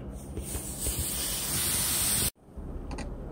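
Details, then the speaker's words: 1993–95 Eurovan with a fuel-smell complaint, dried off and started: steady sharp hiss that cuts off after a couple of seconds as fuel sprays from a leaking hose; further checks still planned. "notice this hose here this one that's the leak das leak we're gonna check everything else too obviously yeah that's coming out of the hose"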